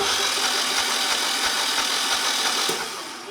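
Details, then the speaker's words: Generac standby generator 999cc V-twin engine (0J9333) pulled for no oil pressure, bench-cranked; steady whirring crank with even compression pulses about three per second; gauge shows 50 PSI at cranking, so the old oil pressure sensor is suspected. "So, if I click the switch, the engine should crank, but you can see we're not building any oil pressure. Oh, wait a minute. We got 50 PSI at cranking speed, so that that's good."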